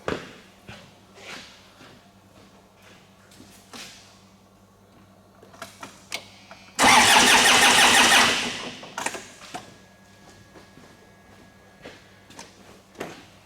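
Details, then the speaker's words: 2009–2010 Ford Ranger (Mazda BT-50) 3.0 L common-rail turbo diesel, fuel line at the number 1 output cracked open: a short burst of cranking that never catches; only a little fuel comes out, and fuel pressure is low. "I can see a little bit of fuel coming out of there."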